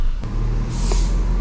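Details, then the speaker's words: 2008 Mini Cooper that won't accelerate, running with a heavy misfire and no stored codes: uneven, stumbling low beat as the revs waver instead of holding steady. "está fallando está fallando muchísimo eso me preocupa"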